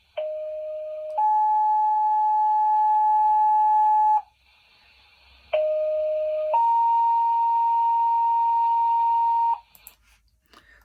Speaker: the correct answer is three firefighters pager when we get a call we either receive it on a pager or on our phone